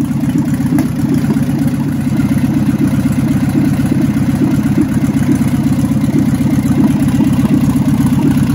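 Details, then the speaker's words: 1977 barn-find VW Bus Type 4 air-cooled engine, first start in over three decades: steady low chatter at an even pace, no knocks or squeals; idles smooth and healthy. "when it's over with you should hear that type 4 turn like a kitten"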